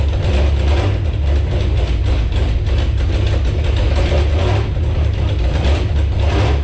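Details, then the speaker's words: Magnum V8 with a 440 flywheel, carburetor from another engine and untuned, in a Jeep Grand Cherokee drag car, first fire-up: loud, deep rumble pulsing steadily as it's held at revs, no knock or flywheel vibration; runs healthy. "I think it's working. It runs. Actually, the other thing I noticed is I revved it up a little bit and held it. I didn't feel any weird vibration from the flywheel, which is one of my big concerns. So that sounds pretty good."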